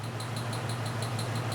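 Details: 1995 Jeep at idle, scope shows a recurring bump on the exhaust slope: steady low idle with a regular tick about six times a second and an uneven, lumpy beat; misfire suspected from an exhaust valve not seating or debris in the seat.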